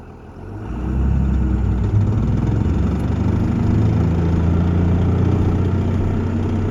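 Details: 2001 Cummins diesel pickup while driving: a loose, uneven rattle over the low engine drone, almost like an exhaust leak; source unknown.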